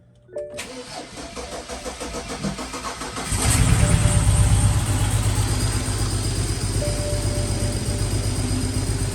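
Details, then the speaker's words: Car just after fuel lines reinstalled and misfire repairs, intake box off, extra quart of oil added, first start: cranks, catches, then runs ragged and stumbling about four beats a second, smoking the garage; misfire persists. "This sounds like dookie. It doesn't look like it's driving good."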